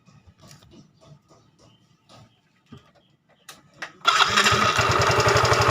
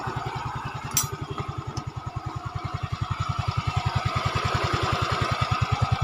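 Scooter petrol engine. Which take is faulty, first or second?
first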